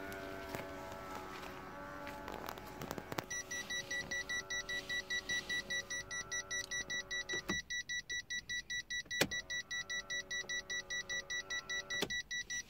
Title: Smart Fortwo Diesel Cdi 2002 problem. When I turn on the dimmers there is this noise, what is it?